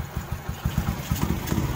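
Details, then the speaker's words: Honda 67 SS50, over 80% original, at idle: even, steady low putter with regular beats, no knocks or misses, a loose fuel tank rattles; very smooth, sound idle. "Để mình cho các bạn nghe tiếng máy nha. Có bình xăng rơ kêu các bạn. Đó, garanti ngọt ngay nha."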